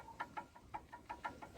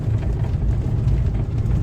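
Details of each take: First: Lada Kalina electric power steering column removed on the bench: sharp dry clicks about six per second, the same knock heard while driving over bumps; adjusting nut tightening failed to remove the play. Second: Lada Kalina driven over stones after steering column repair (washer in electric power steering fixed): steady low road rumble, no knocks or crunches; steering quiet, repair successful.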